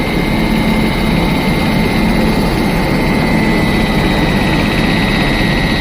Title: इंजन से आवाज आने वाली मोटर की आवाज यही से आती है @jashvlogger786